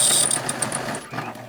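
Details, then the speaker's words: Sewing machine, no longer as powerful as it used to be: high, thin squeak repeating with each stitch cycle over the mechanism's clatter; a dry or worn moving part inside, owner fears something may snap. "See, I used to run this thing like an workhorse. Now I'm afraid that something's going to snap in there with that squeaker,"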